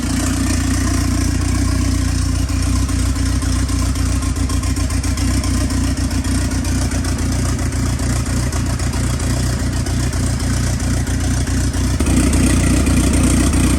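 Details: Freshly built ACR engine idling to warm up after first start: deep, even idle with steady rhythmic pulse, no ticking or knocking, no leaks underneath, good oil pressure; runs healthy.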